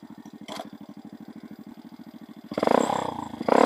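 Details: Dax 125 Spigaou after an oil change with 30 SAE oil, new intake manifold and new stock-style stainless exhaust: crisp even single-cylinder popping at idle, about ten pulses a second, then a louder, deeper bark on throttle; healthy, just a louder pipe.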